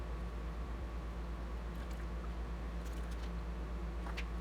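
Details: Electric fuel pump on a rare project car, run via jumper across pins to flush old fuel, holds a quiet, steady low hum with no surging or rattle; running and priming normally.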